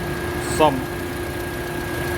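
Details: 2008 Honda CR-V after repair for shaking and stumbling (cylinder 2 injector not spraying): one injector replaced, three cleaned, all four coils and spark plugs replaced; steady, smooth idle with even hum, no shake, warning light off.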